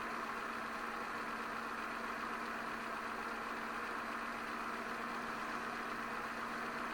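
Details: 2006 Peugeot 206 1.4i 75 hp TU3JP (KFW) petrol at idle after oil change and new oil filter, run to fill filter: smooth, even idle with steady hum, no knocks, misses or surging; engine sounds healthy.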